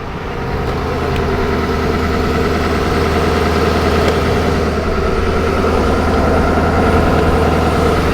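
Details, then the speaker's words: Ford Super Duty at about 0–1°F with its block heater plugged in (unplugged after starting), push-button start: it fires right up into a steady, even idle with a smooth low rumble and clean clatter. Finding: normal cold idle. "gonna push the button in one two three so there we go fired right up"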